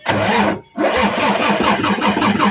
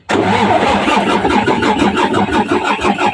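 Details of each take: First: Mitsubishi 6M70 double-EGR diesel with a hard-start problem, after a part swap: a short crank, it catches within a second without starting fluid and settles into a steady, even diesel idle. Normal start and idle. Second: Mitsubishi 6M70 double-EGR diesel with hard-start problem, cranking after battery replacement and filter bleeding: steady rhythmic cranking about three beats a second for ten seconds, never catching; crank no start, low fuel rail pressure.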